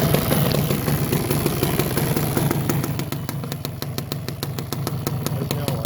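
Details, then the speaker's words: Suzuki LT250 Quadracer two-stroke ATV, bought after sitting outside under a tarp for years, recently run: crackles and revs, then settles into a crisp, even ticking idle about three beats a second; sounds healthy. "it does run I will start it up here in a second I just had it running so it should fire up pretty easy"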